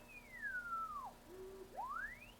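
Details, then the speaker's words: Henry Tempo One ham radio receiver, repaired for no RX audio: with the calibrator signal on and the S-meter moving, a faint thin whistle glides down then up, barely audible with the volume control at full; weak receiver audio. "so as you can hear hopefully we do have audio but it's pretty low I've got that volume control yeah behind control still works but I've got that all the way up"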